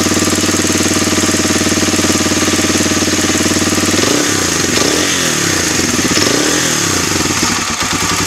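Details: Suzuki DR-Z 250 K9 single-cylinder running with a fast, uneven tapping over the exhaust beat that shifts as revs change; bad engine knock, origin unknown.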